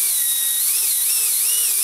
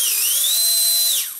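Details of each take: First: Micro ducted fan (EDF) on a servo tester on the bench, tweezers held against it to amplify vibration: high whine wobbling in pitch with faint buzz, strong shaking felt; unbalanced fan rotor vibration before balancing. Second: Micro ducted fan (EDF) run on a servo tester after balancing with tape: high, steady whine holds clean with no wobble or buzz, then winds down; vibration gone, the fan runs balanced and smooth.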